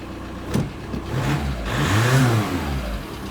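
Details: VW Caddy 1.9 SDi diesel with an intermittent no-throttle fault suspected in the throttle position sensor, restarted after being switched off: idles, then revs cleanly up and settles back without hesitation or stumble. The throttle still works for now.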